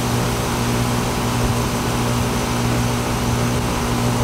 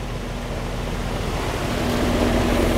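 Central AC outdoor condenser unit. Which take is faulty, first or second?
second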